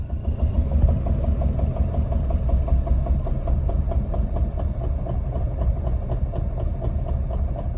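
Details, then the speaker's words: Citroen AX 1.0 four-cylinder running out of fuel at full throttle, chugging with slow heavy thumps at roughly 50–100 rpm before stalling. Extremely low idle from fuel starvation. "this is the lowest revs ever how look at your engine roof that was like 100 rpms it was going boom boom boom boom and that's four cylinders that's like [ __ ] 50 rpm"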